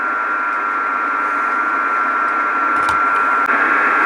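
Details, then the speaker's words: Homebuilt 12 V 30 A power supply (S-400 PCB) in a metal case, heard on an IC706 HF receiver: steady hiss with a thin constant tone when the case is earthed. RF hash is radiated by the front panel meter display. "there is another spiegel that happens when i earth this part of the case which is coming from this uh display device down there so it's also generating a little bit of hash as well"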